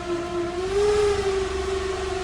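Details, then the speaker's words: 2013 Dodge Dart, FPT C635 dual dry clutch transmission, abandoned tow-lot car: loud steady siren-like whine over a quiet idle when put in gear, gear not available warnings; failed transmission. "Let's see if it goes into gear. Oh, I'm going to say the transmission is bad. Oh my god."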